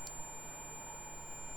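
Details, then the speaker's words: PS5 beeping with no lights, multimeter in continuity mode on fuse F701 (open) and a nearby line, believed 5V: steady unbroken high tone; dead short found on that line. "I'm in continuity mode as you can hear f701 is wide open so yeah do we we happen to have a short oh we do we have a short right here"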